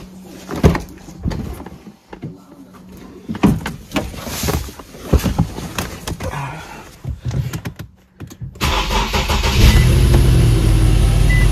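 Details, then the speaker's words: Infiniti M37S V6 starts after clicks and handling noise and settles into a smooth, even idle after replacing the coil pack for the cylinder misfire (P0301); misfire gone and the scanner finds no codes. "so I can just hear that the misfire is gone"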